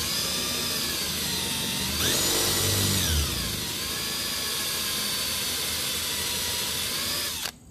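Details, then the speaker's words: Drilling holes in plexiglass for an arcade control panel: a steady drill whine jumps in pitch and roughens into a grinding rasp as the bit binds in the overheated, gumming plastic. WD-40 is sprayed in to cool it. "this is going to bind up and eventually you're going to hear that sounds like a grinding sound"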